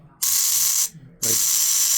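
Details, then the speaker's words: Newly bought RC horn sound module, button pressed: two bursts of harsh hissy static with no clear horn tone; badly distorted sound, speaker or module suspected, not confirmed. "Okay, so got my thing in today, and it sounds like garbage. So here you push this button. It is so much static."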